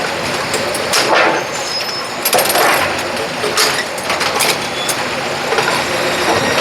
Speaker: plugged in turned on rear switch is on and the Machine fired up there you go we got it